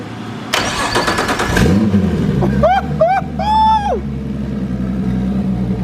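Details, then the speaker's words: Nissan S13 with RB25DET swap, Haltech ECU, new wiring harness and drive-by-wire: cranks, catches, settles into steady idle, then crisp clean throttle blips; normal start, idle and revs. "we got it all sorted out and she actually idles so i'm going to show y'all real quick my crazy wiring that we got all sorted out and let y'all hear this goodness"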